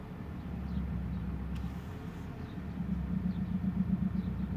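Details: Volkswagen Passat CC 2.0 TSI: low idle rumble with a loose knock about four times a second at the clutch biting point when releasing the clutch. Replacing the left engine mount did not fix it; source unknown.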